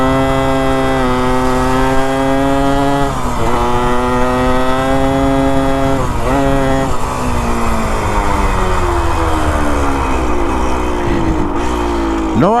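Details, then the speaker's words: 1973 ATMX 125 two-stroke accelerating through the gears after kickstarter and clutch repair: revs climb sharply while road speed lags, so the clutch is still slipping a little; the owner says everything measures good and doesn't know why. "you can hear the clutch is still slipping just a little bit"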